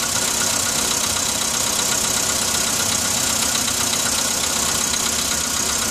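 Fast, fairly regular ticking knock, about four a second, rides over the idle right after a cold start; cause not yet pinned down.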